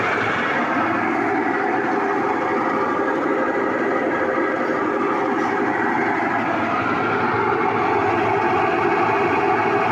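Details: Whirlpool washing machine running with a loud, steady rumble and heavy churning roar throughout. It is clearly noisier than normal; noise problem, cause not stated.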